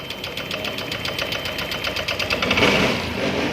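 Quick ticking idle, about three beats a second, with an uneven, stumbling rhythm and surging loudness; the idle is rough and misfiring.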